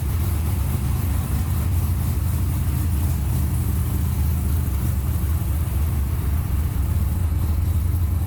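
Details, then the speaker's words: 598" big-block Ford XA Falcon idles loud with a lumpy, uneven low rumble and a hissy rough edge. Vacuum leak down in the valley; it is to come back off for new gaskets. "Right, running pretty, okay-ish. Got a vacuum leak down in the valley, so blow it back off."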